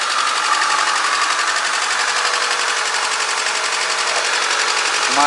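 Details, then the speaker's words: VAZ 2110-12/Priora 124 16-valve engine, cold start after head reassembly with new seals, oil and filter, chasing a knock: check light flashing, fast uneven idle with stumble, running on three cylinders until warm; owner suspects coil or plug; cold misfire. "Чек мигает опять, катушка мозги компасирует, либо свечка. Сейчас поработает, должна на 4 работать."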